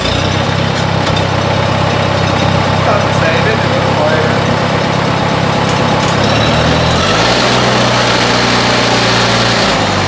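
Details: 1957 Oliver OC-3 track loader, started after fitting a new muffler and exhaust to check whether it is quieter: steady low chug at roughly 220 beats a minute, easing slightly lower after a few seconds; an even, healthy idle.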